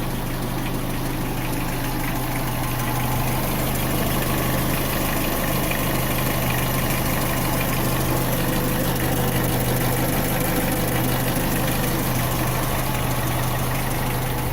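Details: Renault Symbol K7J idling before timing chain replacement: steady idle with an uneven light knock about three per second under the engine note; owner suspects the timing chain; engine knock at idle.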